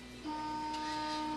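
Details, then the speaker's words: Da Vinci 1.0a 3D printer repaired with a new 6 mm Y-axis stepper belt, powered on for the first time: a click, then a steady, even motor hum with no grinding or skipping. It homes with no error code; a normal startup. "oh yes no error code it went right to the home position with the exception that the bed plate is not in its home position"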